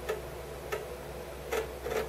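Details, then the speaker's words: Commodore Amiga A500+ after corrosion repair, floppy drive cleaned with cotton buds and isopropyl alcohol, loading a game: sharp uneven clicks, about four in two seconds, over faint hum; noisy head seeking but drive works. "but yeah it does seem to be working all right noisy Drive uh I did clean the drive up actually"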